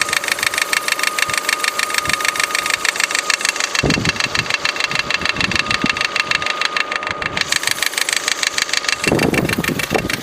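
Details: Opel Astra H Z16XEP petrol engine with a fast, steady diesel-like clatter at idle. At the timing belt change the idler pulleys were not replaced, and the tensioner vibrates visibly and slaps the engine block. Timing belt tensioner rattle.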